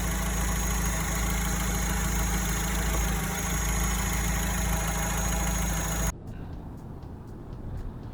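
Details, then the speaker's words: Alfa Romeo 159 after A/C compressor replacement for engine-bay rattle: steady, even idle with a smooth low drone and no odd whine or rattle; owner still hears faint metallic sounds, perhaps unfamiliarity. "Qu'est-il arrivé à ce bruit étrange? Oh pas de bruit étrange Mais je peux entendre des sons métalliques, peut-être parce que je ne m'y suis pas encore habitué"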